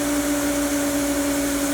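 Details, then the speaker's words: Hayward pool booster pump driven by a replacement Huanyang VFD on 220 V, speed ramped down to about 1438 rpm; steady, even motor hum with a clean tone and no gurgle or rattle, no air in the pump. "going down slowly is running down you can hear the pump no air in it that's a booster pump"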